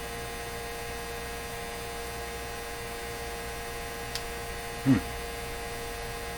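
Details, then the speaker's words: 1957 Chevrolet Model 561 valve car radio on the bench during alignment, antenna pulled out; a steady low buzz over a fixed hum from the vibrator power supply coming through the speaker. "but i may not recognize the buzzy sound from the speaker versus the buzzy sound from the vibrator that makes it pretty apparent"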